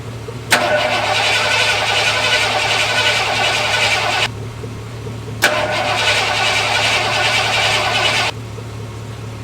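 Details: Lifted bullnose Ford carbureted V8 truck, first start after sitting almost 4 years, carburetor just cleaned and rebuilt with new spacer and inline fuel filter: cranks, catches at once, lumpy idle, cuts out, refires quickly; starts normally.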